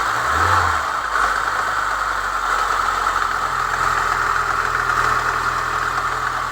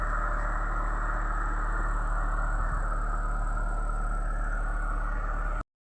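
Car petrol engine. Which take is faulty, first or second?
first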